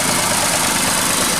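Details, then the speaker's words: 2012 Nissan Versa/Latio N17 3-cylinder with P0400 code, flashing check engine light, rough running and higher fuel use: constant airy hiss over idle under the hood near the brake booster; vacuum leak suspected at booster or check valve. "Alright, so let's pop the hood and see how that sounds. You hear like a low escaping sound from here."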